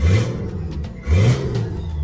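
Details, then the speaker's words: Turbocharged Nissan GQ Patrol on an eBay kit with wastegate and screamer pipe; two quick, crisp throttle blips that rise and fall cleanly with no stumble, more responsive than before, but still not reaching positive boost pressure. "way more responsive than she used to be. We're still not hitting positive boost pressure."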